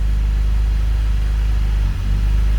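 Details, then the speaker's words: BMW E39 528i (M52TU/M54) before VANOS seal replacement: low, lumpy, erratic idle that wavers and sags briefly near the end, from worn dual VANOS seals, which also cause bog-down pulling away in first gear. "So you're getting a rough idle. This is going to translate to a hesitation when you're coming from a stop."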